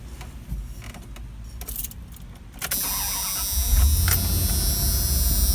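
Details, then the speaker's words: 1993 Dodge Roadtrek 190 Versatile camper van: quick crank, engine catches at once and settles into smooth steady idle with no misses; normal start. "Starts right up."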